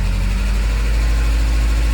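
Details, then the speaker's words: 1993 Saab 900 revived after sitting, with a chewed crankshaft position sensor wire traced and oil just reaching the top end: with foot off the throttle, a low, lumpy idle sags and wavers, barely running and threatening to stall. "don't know what happened if i take my foot off it oh she does not want to idle"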